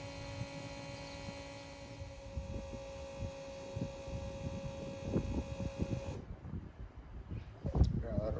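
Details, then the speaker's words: Peterbilt 579 with Cummins ISX, key on after a fuel filter change: steady mid-pitched electric hum that cuts off cleanly as the lift pump primes the fuel system, said to run about 60 seconds per cycle; normal. "so if you hear that humming that's the actual lift pump running right now and we're going to let it do that a couple times it runs for like 60 Seconds"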